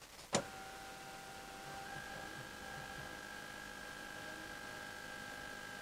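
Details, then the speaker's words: 2017 Ford Ranger 3.2 diesel, microphone next to tank, ignition on after fuel filter replacement; one click then steady high electric hum with gurgling as air is pushed through; normal in-tank fuel pump priming. "did you hear all those gurgling noises as the air gets compressed and pushed through the system"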